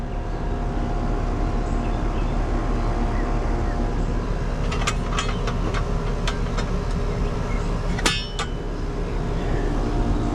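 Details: Residential AC condenser on a no-cooling call, where the compressor had not been running, just started after being rewired: constant low hum with fan and compressor running steadily, a few metal clinks from handling; running normally.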